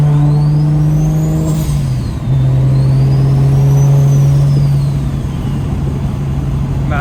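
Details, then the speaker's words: Newly installed Precision Pulsar 6466 turbo cartridge, original housings reused, driving: loud whistle climbing and falling with throttle over steady engine drone, louder than before; healthy free-spooling turbo. "[ __ ] this turbo is louder man this [ __ ] [ __ ] sounds crazy"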